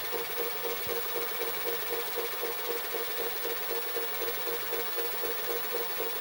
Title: Panasonic NV-SD430 (garage sale find) noisy mechanism ??